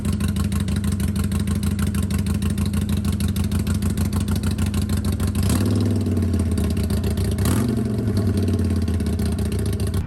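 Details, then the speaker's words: 2022 Harley-Davidson Iron 883, about 1,600 miles, stock exhaust refitted in place of Rinehart slip-ons: even, loping V-twin idle, then quick throttle rise and fall; muted, smooth exhaust with no misses; running healthy. "since I'm trading this in I went ahead and put the stock exhaust back on so this is what it sounds like with that sewing machine of a stock exhaust"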